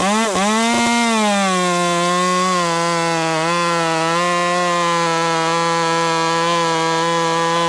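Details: Ported Husqvarna T540 Mark III top-handle chainsaw on its third tank, not fully broken in, warmed up, chain quickly filed, rakers untouched: steady high revs holding under load through the cut without bogging; cutting cleanly.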